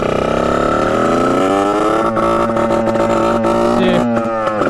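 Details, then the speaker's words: 1989 Yamaha YSR50 two-stroke, left sitting for years, bump-started and revved to full: a shrill wail that stutters and breaks up near the top; a high-rev misfire of unknown cause, possibly spark-related. "so they're gonna be hearing a break up in the top and when you give it full Rev and just listen for it it's it's a very weird sound that happens"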